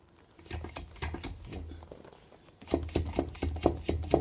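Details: VW 2.0 TDI CBAB worn dual-mass flywheel rocked by hand: sharp metallic clunks about two a second, with about two and a half teeth of free play each way where a new one is tight; causes knocks at low rpm.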